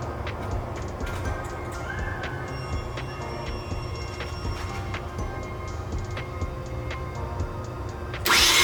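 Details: Mazda RX-7 FD 13B turbo rotary, warmed up, plugs out for compression test, cranking on a bigger fully charged battery: sluggish, dragging low cranking speed that never picks up; owner attributes low cranking rpm to a bad starter.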